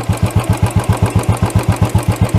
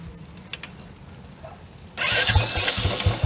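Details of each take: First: Royal Enfield BS6 carbureted single-cylinder during idle tuning, strong even thumping about seven and a half beats a second, idle raised high on the carburetor screw; high idle speed. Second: Royal Enfield BS6 single-cylinder carbureted motorcycle during idle tuning: fires up and settles into an even, steady thump about four beats a second; clean, healthy normal idle.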